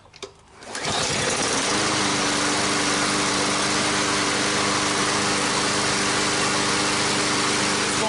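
Engine catches after a second and settles into a steady, even high-pitched drone with no misses or surging; mower running fine.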